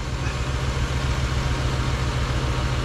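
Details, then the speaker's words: 2007 Jeep Grand Cherokee 3.7L with P0202, injector circuit open cylinder 2, misfiring when hot: lumpy uneven idle with stumbling beat, no injector signal on scope; dead cylinder misfire. "oh sure now it's misfiring hahaha see I have nothing on a scope I have nothing on there fuel injector"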